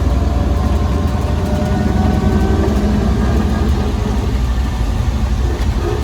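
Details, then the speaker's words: 1934 Ford Model BB dually truck with flathead V8, while driving: steady low rumbling gear drone that drowns out the engine, even and unbroken; gear noise is normal for this truck. "you really can't hear the engine in this thing when you drive because the gears make the most noise as you can hear"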